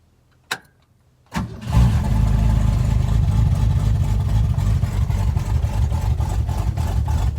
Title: ‘61 comet cold start i200 straight six manual choke exhaust leak